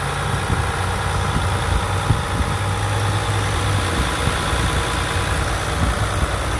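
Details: 2020 Ram 1500 EcoDiesel Gen 3 Bighorn at idle: steady low idle with an even, crisp ticking clatter on top and no misses. Normal healthy diesel idle.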